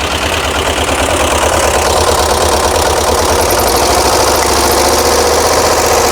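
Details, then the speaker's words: 1982 VW Vanagon flat-four after fuel injection delete and single 38mm carb conversion, at idle: uneven loping beat with sharp popping, about three pops a second, from a front-side cylinder misfiring; valve suspected hanging open or needing adjustment. "we have a cylinder on the front side that is not happy um that's that high pit pop pop pop so valve issue maybe out of hanging sticking open to to adjusted"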